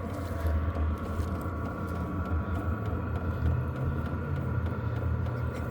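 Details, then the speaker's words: Vevor 8kW diesel heater on first-ever startup, powered via a 12V supply/inverter changeover, about 35-minute heat-up: a low steady hum with a faint whirr building as the fan ramps up; some exhaust smoke that later cleared; normal startup fan ramp-up. "this the first initial startup it said 35 minutes to heat up so we're going to give this a little B it speeding up you can hear it ramping up"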